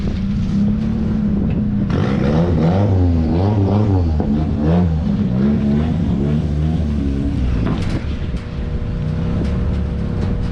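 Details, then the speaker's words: Nissan 240SX S13 with turbo KA24DE, very low on fuel and just topped up with about five gallons: choppy, uneven exhaust pulses stumbling at idle and light revs; a misfire, with the cause unconfirmed. "currently got a misfire going on as mentioned before it's extremely low on fuel so we're gonna go ahead and they're about five gallons in there see what that does"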